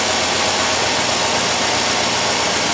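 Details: 2007 Chevrolet Suburban 5.3 V8: loud, rough idle with an uneven stumbling beat; all bank one coils misfire from a lost coil ground, shown with jumper wire removed.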